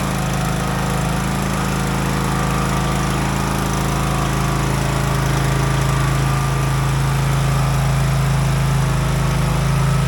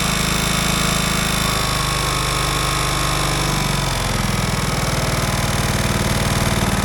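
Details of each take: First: Craftsman DLT 3000 riding mower, about 2010-2015, after engine repair and reassembly; an even, steady single-cylinder drone with no knocks, rattles or hunting while moving through the gears, healthy. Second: Craftsman DLT 3000 riding mower running at a choppy idle with a thin, high whine. The owner suspects a worn starter Bendix drive and plans to swap the starter, unconfirmed.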